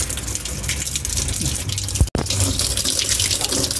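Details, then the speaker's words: Single-tub automatic washing machine, tested for a drain fault: steady, unbroken rushing and splashing of water pouring into the tub during filling. Normal fill. "Nah, ini air lagi ngisi."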